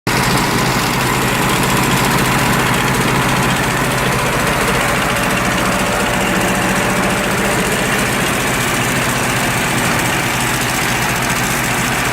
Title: Misfiring UAZ